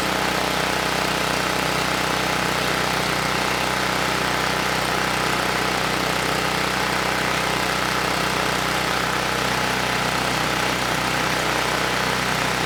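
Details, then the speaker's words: Campbell Hausfeld 5000W generator (GN503100AC), 9 hp Briggs Vanguard engine, running without load after the oversized clone pilot jet was replaced with the OEM pilot jet (clone main jet kept): constant, even buzz with no surging or sputtering, where it previously shook and sputtered. "that was it it was just the pilot jet the Clone pilot jet was just way too large you know this time the engine ran nice and smooth without a load"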